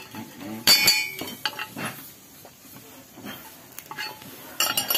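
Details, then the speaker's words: Daihatsu Gran Max removed catalytic converter, clogged, shaken by hand: bursts of metallic clinking and jingling as loose broken substrate rattles inside the can; contents like metal flakes and grey ash-like dust. "ada suara berderak di dalamnya. Jika kita menusuknya..."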